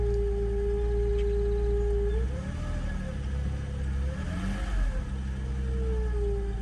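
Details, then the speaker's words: 2008 Jeep Wrangler JKU after water pump replacement for a squeal with battery light: water pump noise gone, but a clear tone rising and falling with engine speed like a supercharger whine remains, cause unknown; engine whine. "Sounds like a supercharger. All right, back to the drawing board. Well, the water pump's not making no noise anymore. I don't know what that sound is."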